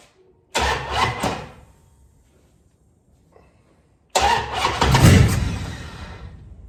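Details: 1973 Dodge Dart after being brought back to running: engine cranks twice, starter dragging and labouring unevenly against compression; hard cranking from slightly too much (over-advanced) ignition timing, timing not yet dialed in.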